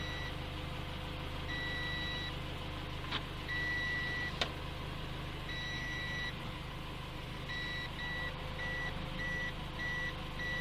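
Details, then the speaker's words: 2017 Toyota C-HR with newly installed SkyBrake contactless immobilizer with motion sensor, engine idling; repeating high double beeps at irregular spacing over low engine hum warn the key tag is not detected, before blocking the engine on moving. "Notre immobilisation a commencé soumettre avertissement des signaux qui marquent nous ne lisons pas. Voici notre étiquette, il est batteries."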